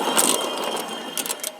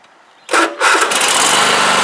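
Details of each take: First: Cub Cadet LT1045 mower deck, center spindle spun by hand next to a good one for comparison; dry gritty rattle with uneven clicks instead of a quiet spin; worn deck spindle bearing, to be replaced. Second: Cub Cadet LT1045 riding mower after replacing the bad center deck spindle; engine cranks, catches and settles into a steady even drone, quiet with no rattle from the deck; normal running.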